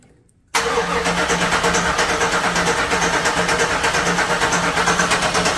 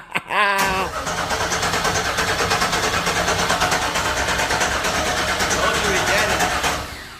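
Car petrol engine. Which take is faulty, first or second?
first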